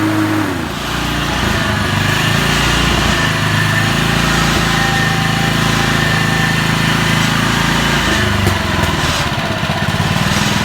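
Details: Honda mower after an oil leak repair at the seal, reassembled clutch and blade: small engine runs steady and buzzy at constant speed, smooth and even with no knock or surging. Normal running.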